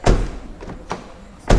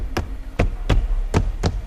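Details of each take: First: Subaru Legacy front door shutting: a loud, hollow, booming thud that rings briefly from a door with no sound deadening and no door card, louder and boomier than the driver door treated with Focal BAM and Dynamat. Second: Legacy front driver's door after sound deadening (Focal BAM outer skin, Dynamat inner skin, wiring taped), door card refitted: knuckle raps land as dull solid thuds with nothing buzzing after; well damped, rattle-free.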